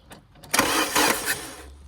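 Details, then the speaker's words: Engine with a bad earth (ground) cranks briefly through a temporary earth lead from the battery post via a small lamp, catches within a second and settles to a quiet low hum, a bit smoky; it starts normally on the temporary earth. "so if we just put that there stack that there basically that's given us a new Earth even though it's through a small small lamp but you should be able to start it"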